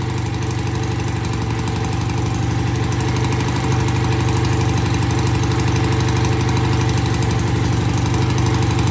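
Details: BSA A65 with new Premier carbs and cleaned pilot jets. Easy cold start after tickling, then an even, settled idle thumping about four beats a second, steady on both cylinders with no misses or knocks. Normal idle.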